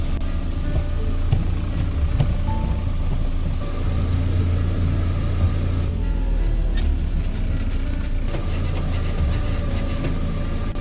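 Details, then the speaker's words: DFM Succe after rear brake drum cleaning: low steady rumble of the running car with no squeal from the rear brakes; the handbrake-release noise is gone. "kampana temizliğinden sonra a o sesler Arkadan gitti arkadaştır"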